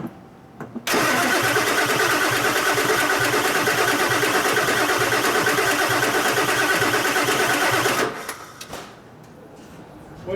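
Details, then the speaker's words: Auction 7.3 Powerstroke diesel truck cranks steadily about three beats a second for seven seconds, no fire, no longer smoking; suspected fuel pressure problem, gauge to be fitted; no ether used. "feels like a fuel pressure just yeah let's hang tight a second let me put a gauge on it that'll tell us exactly what's going on"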